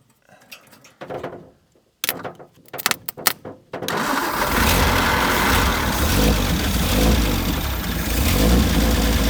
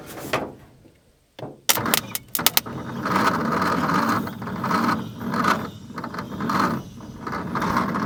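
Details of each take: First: 1950 Nash Statesman engine, unrun for 23 years, started on 12 volts after priming fuel through the removed fuel filter cap: a few sputtering catches, then a strong, steady run with an even exhaust beat; normal running. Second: 1950 Nash Statesman engine, unrun for 23 years and stiff, cranked on a weak 6-volt battery with plugs and leads fitted: a few clicks, then slow heavy laboured turns under a second apart, never catching; slow cranking, no start.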